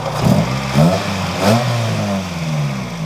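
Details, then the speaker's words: Honda Civic EM1 Si, hood open, after its earlier ticking was fixed by a valve adjustment (a rocker-arm nut on cylinder 4 was missing): several quick throttle blips rise and fall cleanly, no ticking or knocking. Normal revving. "But you can hear the motor is extremely healthy, and if you go to my last video where I purchased the car, you can literally hear the ticking. It ended up being just a valve adjustment"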